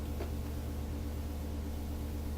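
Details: Majestic 5A455 turntable motor, rebuilt, run at about 121–122 volts (line about 119), drawing about 0.28 amps. Steady low hum with a faint even vibration and no rubbing or ticking: the motor runs smooth and healthy.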